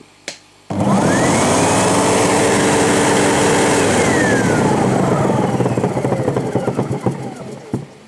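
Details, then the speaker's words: Sebo G1 upright vacuum that began vibrating and clunking. Loud motor whine winds down, then uneven rattly clunking. The owner suspects a bad bearing on the belt side near the brushroll and thinks it happens when hot. Cause unconfirmed. "I think it makes it makes a bit of a clunking sound now listen this is the this is the sound that it was doing before it must be when it gets hot"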